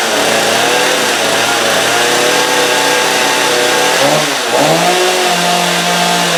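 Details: Stihl MS250 chainsaw with a hard rope pull; hydrolocking from fuel leakage is suspected, and it had not run in a long time. After the carb needles were turned fully counterclockwise and a new spark plug fitted, it started on choke and holds a steady, high two-stroke buzz with a brief dip; it runs fine.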